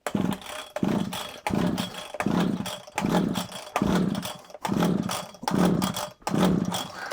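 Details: Early-1980s Komatsu Zenoah strimmer, choked and primed with old fuel: repeated recoil pulls about once a second turn the engine over without firing; the carburetor diaphragm is suspected to have failed and needs replacing.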